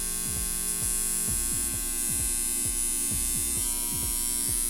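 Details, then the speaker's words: Homemade transformer (12 V secondary) first powered up with its core incompletely stacked for lack of laminations and not yet varnished: a loud, steady low mains buzz from the loose core. "probablemente el transformador m vaya a ser un zumbido fuerte así que le pido disculpas ya que me faltaron láminas para completar el núcleo"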